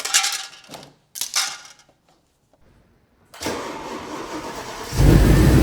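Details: Audi S6 with 118,000 on the clock, started after sitting for months, had a clatter from the steering: it catches after a couple of cranking bursts and pulls away smoothly, and the clatter is gone.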